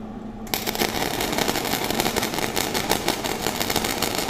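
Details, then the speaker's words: Flux-core welding with wire feed speed turned up and amps turned down: rough, choppy crackle with uneven pops instead of a steady sizzle. The wire keeps stubbing into the metal with no penetration. "sounds pretty rough huh so wire speed high no penetration it wasn't burning in whatsoever my wire just kept hitting and it was just really choppy"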